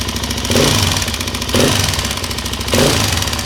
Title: ticking noise in head ltz 400